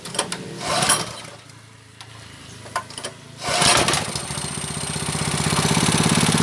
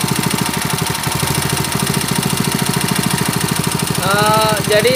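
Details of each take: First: Honda GX160 5.5 hp water pump engine, unused about a year, spark plug keeps blacking, plug cleaned: after handling noise it settles into a steady, even idle with no misfire or hunting; normal idle, governor working. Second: Honda GX160 5.5 hp water pump engine, unused a year, on NGK BP5ES long plug after high-rpm warm-up; slightly lumpy, uneven single-cylinder beat that sounds off; running rich, fouling plug black, carburetor suspected.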